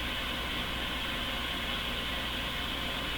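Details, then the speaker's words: Grundig Satellit Professional 650 on the shortwave band: flat, steady hiss with no stations breaking through, either radio self-noise or atmospheric noise. No reception; owner suspects an altered antenna input, missing front-end parts or poor alignment. "so what are we listening to right now we're listening to either the hiss of the radio itself which is not terribly likely or we're listening to atmospheric tech noise"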